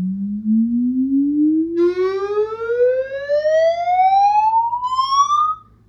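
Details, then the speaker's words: Paradigm CC-390 center channel speaker on a 20–20 kHz frequency sweep: rising tone turns buzzy and rattly in the middle portion instead of smooth, pinpointing a blown midrange driver to be disconnected and retested. "it's uh it's just it changes um changes more to like a rattle or vibration as opposed to a smooth uh sound or frequency"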